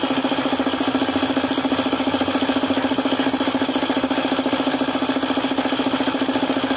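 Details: Suzuki F6A three-cylinder idling with a sharp, very regular lower-end knock, about three per second, caused by a failed oil pump.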